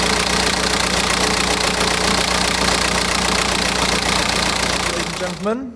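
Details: BMW M Sport Tourer, N47 2-litre diesel, after water pump and EGR cooler work: dense, fast metallic rattle from the rear of the engine over the idle; rear timing chain suspected, engine to come out.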